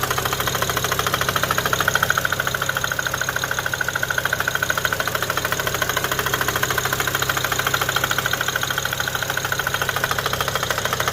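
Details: Knocking heard after a test drive, apparently from the driver-side front, following intake valve, plenum and throttle body cleaning, a used high-pressure fuel pump, an upgraded front-mount intercooler and new fuel pump sensors; steady even knock, cause unknown.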